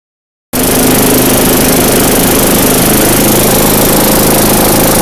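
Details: Craftsman yard vacuum with a 4.5 hp Tecumseh engine, bought non-running in a lot of power equipment: starts instantly and holds a steady, even drone with no misses, knocks or surging; normal running.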